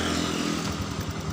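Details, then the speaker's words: Honda Beat fuel-injected scooter with the throttle position sensor unplugged: the small single idles but runs rough, then falters, sags and stalls whenever the throttle opens. Cause is a throttle sensor fault, or a broken or loose wire at its socket. "ini sensor rusak ya digas mati nah Berarti kalau seperti ini ada kerusakan kedepannya 8 pada motor Beat Berarti ada yang putus atau ada yang kendor di soket sini ya Atau bisa juga sensornya rusak ya"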